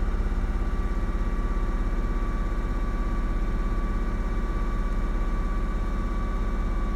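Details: 2004 Ford Mustang 3.8L V6 automatic at idle: steady low idle with rhythmic uneven popping about twice a second that shakes the car, developing a minute or two after start; scanner showed fuel pressure over 60 psi; cause was a faulty-out-of-box SMP T-Series ignition coil pack, fixed by replacing it.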